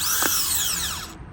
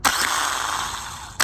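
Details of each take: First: New starter for 2000–2004 Nissan Maxima bench-tested on 13 volts: gear pushes out and spins with a clean, even high whine winding down smoothly, no grinding, unlike the grindy old starter; normal. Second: Old remanufactured starter from a 2000-2004 Nissan Maxima bench-tested on 13 V. Each snap of the gear engaging is followed by a harsh, gritty grinding whir from inside the starter; the new replacement spins smoothly.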